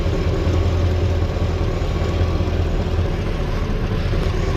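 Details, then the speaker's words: LT1 V8 Caprice with its original Optispark cleaned and resealed, restarted without water pump, not yet warmed up: a steady, even idle rumble with no misses, and the earlier bad ticking is gone. A slight hesitation is felt. "That's not leaking. It's running. Sounds like smells like the same nasty Caprice that I always had. I guess there's not much I could tell. I don't hear a bad, super bad ticking noise anymore."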